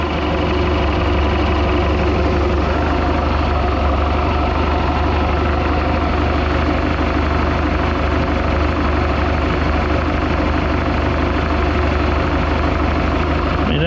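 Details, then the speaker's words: 1976 Mark Twain boat, Mercruiser 120hp (once stuck), idling during tune-up: deep, even idle holds steady with no misses, surges or knocks; engine not vibrating, smooth normal idle. "well that's just that's just a smooth idling machine there I tell you"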